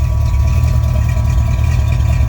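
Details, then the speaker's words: 1966 Plymouth Fury III with a 360 5.9L Magnum V8, after adjusting the Holley 12-803 regulator on a 110GPH Holley Blue external pump. Deep even idle with a faint steady high hum from the pump on the right side; normal. "I mean that's just how they are your external fuel pumps are going to have some noise to them"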